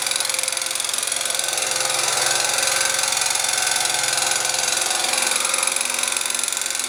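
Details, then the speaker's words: Scooter with a new crankshaft, piston (0.04 mm piston-to-cylinder clearance), camshaft, chain and tensioners; the variator, ignition and muffler were all checked. It still has a sharp, ringing, steady knock about three a second: piston slap from a crooked pin bore. "вот такой вот звонкий к идёт из двигателя непонятно почему"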